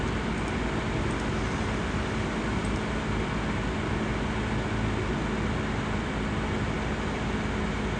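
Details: Asus laptop CPU cooling fan: constant loud airy whoosh with faint steady whir, no pitch change; fan running noisily.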